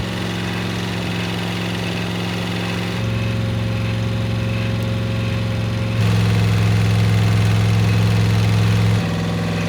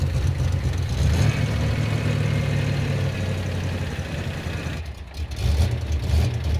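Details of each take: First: Freshly rebuilt 305 V8 in 1985 IROC Camaro, after 20-minute break-in while idle speeds are adjusted: smooth even idle with steady low hum, stepping slightly up and down. Normal idle, sounds great. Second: Freshly rebuilt 305 V8 in 1985 IROC Camaro during break-in: low, lumpy idle surging and sagging, nearly stalling, with too much ignition timing advance; engine settles once timing is turned down. Rough idle from over-advanced timing.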